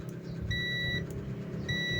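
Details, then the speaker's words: Multimeter continuity buzzer on a new videoke microphone that sounds noisy: two steady high half-second beeps, positive wire beeping to ground; shorted to ground. "So ayan tumutunog naman kasi continuity lang naman tayo kung may shorted tutunog yan. Ayon. So tingin ko ay shorted nagdidikit dito sa kabila."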